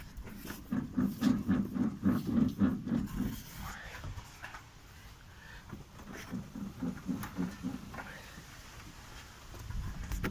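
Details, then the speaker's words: Lada Vesta SW Cross, December 2017, about 5000–5500 km: new-type yellow polyurethane stabilizer bushings give low rubbery groaning creaks in bursts. They squeak only in midday heat above +25°C with no rain, and are silent mornings and evenings. "заскрипели втулки стабилизатора здесь стоят уже нового образца желтого цвета полиуретановые только на улице жара в обед выше 25 градусов температура поднимается получаются вот такие вот скрип и"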